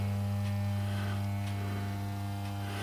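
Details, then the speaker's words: Valve amplifier power supply for a Pye G73-type build, mocked up and first powered with music playing; constant low hum over the audio, source unknown, suspected heater or supply hum. "There's a bit of humming in there. Where's the humming coming from?"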